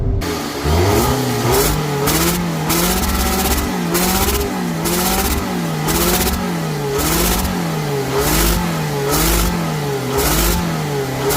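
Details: 2nd-gen Scion xB: loud hissing in engine compartment with pulsating RPM and power loss under hard acceleration, engine surging about twice a second with rhythmic hiss; exhaust leak at manifold flange suspected, heat shields removed to inspect.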